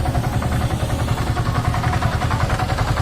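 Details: Yamaha R15 V3 engine, damaged after long standing unused: loud metallic clatter and uneven rapping at fast idle; worn valvetrain; rockers, cam, timing chain, connecting rod and all engine bearings need replacing.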